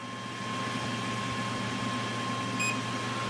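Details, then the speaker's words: Creality CR-200B 3D printer: soft, steady fan hum with a faint constant whine from the hot end fan, back air-change fans quiet; normal. "Not massively noisy, you can hear a little bit of noise coming from this hot end, from the fan on the hot end, slight little sort of whine. Back fans aren't making much noise at all"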